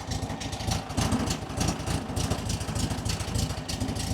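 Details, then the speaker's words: 1967 VW Beetle flat-four barn find, off the road 46 years, on choke with untuned carburettor: steady chuffing idle with a slightly loping beat, no knocks or misses; running happily. "That seems pretty happy overall, huh?"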